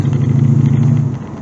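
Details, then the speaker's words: C4 Corvette with Crossfire fuel injection: deep, lumpy, uneven rumble that sags once the engine reaches temperature; runs fine briefly then misses again, seemingly heat related; bad gas ruled out, fuel pressure check next. "Is it'll look good for a little while and then it'll just start messing up again. So that's when it's got to be heat related."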